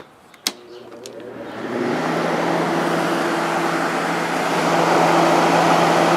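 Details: 1989 Whirlpool Coolerator window air conditioner after coil cleaning and fan motor bearing oiling: a click, then a smooth rising rush of air settling into a steady even hum, no squeal or rattle, strong condenser airflow; healthy.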